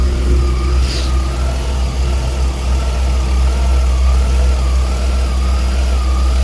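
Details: 2000 Ford Windstar 3.8L, warming (about 140°F), codes P0171, P0174, P0303, P0455: deep, uneven stumbling idle with faint wavering whine, misfiring; suspected intake leak or low fuel pressure, unconfirmed.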